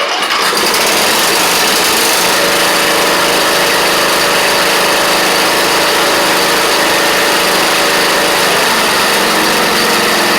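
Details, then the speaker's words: Troy-Bilt Pony riding mower, new engine with new head gasket, fresh gas, first start: small single-cylinder runs steady and even at fast idle, buzzy exhaust, no knocks or misses; smoky but a runner. "But she's a runner."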